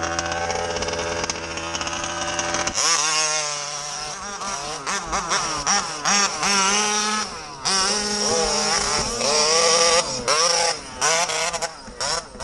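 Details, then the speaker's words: MCD XR5 ALX 48cc two-stroke: high, buzzy note that stutters and drops out irregularly between bursts of revs, a bad misfire with the cause unknown, clutch also failing. "It's missing. Missing quite bad. Every time I reckon, B. Oh, she started missing again."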